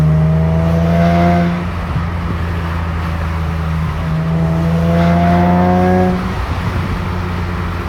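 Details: Nissan 370Z V6 revving: a thin rising squeal above the engine note, occurring only between 3500 and 4000 rpm, with or without AC, no check engine light; cause unknown.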